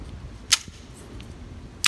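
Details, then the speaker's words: 1974 Chevrolet C10 replacement mechanical windshield washer pump, after repair: sharp crisp snaps about 1.3 seconds apart as the cam turns and the piston pumps; normal washer pump operation. "i don't want no mist and mechanical rules so what you're hearing in there is this cam goes around"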